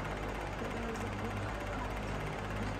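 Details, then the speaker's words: Fan motor: constant rough rattling drone with dry, gritty edge while spinning, from the motor not the blade or guard, noisy since new; worn motor bearing. "it's garbage that's not the blade that's the stinking bearings in the motor"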